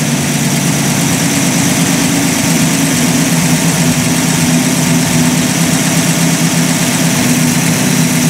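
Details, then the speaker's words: Warm Buick Roadmaster after final tuning; after a throttle blip the idle holds a touch high instead of dropping back, steady and fairly loud, because the throttle dashpot is sticking and slow to return, if at all. "well I tell you what that dashpot there it is slow to come back now if at all"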